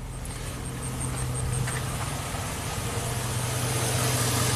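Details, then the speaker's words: 2003 Chevy Silverado Classic V8 with intermittent no-crank and overnight battery drain, cranking while diagnosing the ignition switch circuit: it starts and runs fine, a quiet, steady idle with an even low rumble and no misses. "there you go perfect starts and runs fine there we go"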